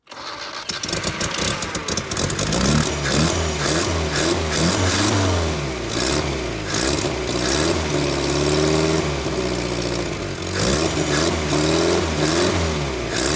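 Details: 1978 Datsun 1500 Ute GN620, 20 years stored, new carburettor, after removing cap left on top: cranks, catches, settles into slightly uneven idle with throttle blips, running on its own again; normal start and idle.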